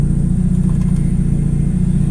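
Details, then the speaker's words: Mitsubishi Eclipse at idle with a boost controller used as a manual idle air bleed, opened on a cold winter day: a thin steady high whistle of air being sucked in over the idle rumble raises idle about 50 to 100 rpm; covering the port drops it back, a vacuum leak. "definitely raises the idol yeah if I put my finger over and close it Idol goes back down you could definitely hear the leak I don't like that"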